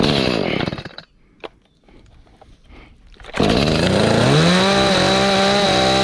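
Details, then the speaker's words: Echo CS310 chainsaw that would not start, idle or cut, first run after a carburetor replacement on choke: it stalls, restarts and revs unevenly. It needs tuning, after which it was fixed. "I think this bad boy need to be tuned up."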